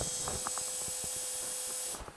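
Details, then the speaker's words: BMW three-phase fuel pump with control module on a bench rig, powered with terminal 15 ignition feed, no ECU signal yet; short faint whir under two seconds with thin steady tone, then clean cutoff; normal priming cycle. "you can hear that the pump briefly runs that's like the priming cycle but now it stops"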